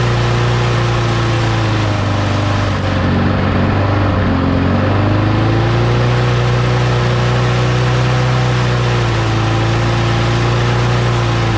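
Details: Lawn mower after being blown out with an air compressor, reassembled and primed three times; loud, steady single-cylinder drone holding even speed, with a slight sag and recovery midway and no misses or surging; runs fine.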